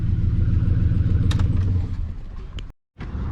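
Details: 2007 Chevrolet Silverado V8 with a misfire complaint, idling: deep, uneven, loping pulse with about three to four stumbles a second; scan tool shows misfire counts climbing on cylinders one and seven, high earlier on five and six.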